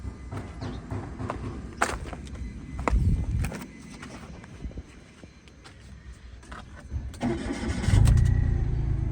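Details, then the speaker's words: 2014 three-cylinder car, after repair for P0350 misfire: middle cylinder's coil lacked signal, and now all coils get 2.7 V. Starter cranks briefly, engine catches and settles to a steady low idle with no stumble; all coils now working. "Coil जो है यह काम कर रही है। पहले इस condition में थी काम नहीं कर रही थी। अभी जो है इसकी सारी कॉइले काम कर रही हैं।"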